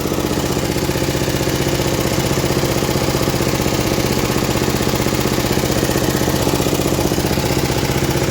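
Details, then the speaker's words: Vintage MTD ride-on mower single-cylinder engine at idle: even beat with light regular tick; tappets slightly ticky and lifters clacking a little, meaning not too tight, acceptable. "Tappets are a little ticky, but that's good, that means they're not tight. Lifters you can hear clacking a little bit."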